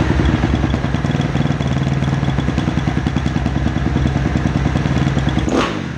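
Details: 2010 Kawasaki KX250F, kick-started and warming up with the hot-start lever unused: a strong steady run with a sharp, clean climb in revs and no misfire; it pulls revs properly.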